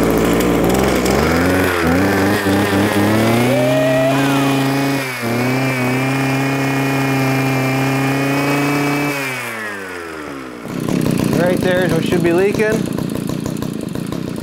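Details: Eskimo Stingray 33cc two-stroke ice auger, started with choke after replacing old brittle fuel line that leaked, revs up and holds a steady, even buzz with no stumbling or sputter; running normally.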